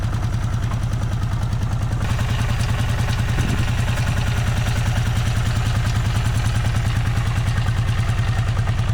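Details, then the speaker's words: Vintage Honda GL500/CX500 twin, just rebuilt and idling before its test ride: a quick, low thumping idle that stumbles and wavers. It stutters and is hard to start, cause not found; owner hopes it will run out. "Now, the bike still doesn't run perfect. It kind of stutters and it's hard to start, but maybe we'll run that out."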